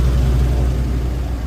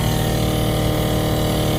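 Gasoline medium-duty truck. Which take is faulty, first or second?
second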